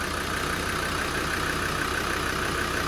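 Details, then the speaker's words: Land Rover Defender 90 Td5 diesel after top-end rebuild, held at idle for turbo oiling: smooth even idle with light regular diesel tick, no tappet rattle or knock; sounds healthy. "But it sounds good. It doesn't sound tappety, it sounds healthy."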